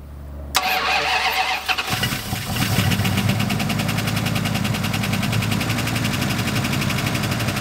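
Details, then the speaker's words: Turbo V8 Dodge Diplomat police car after oil change and fuel flooding: cranks, catches, then idles with loud quick ticking knock from a rocker until oil primes; no bottom-end knock. "it had a rocker making a really loud noise that's because I changed the oil and it had to Prime itself"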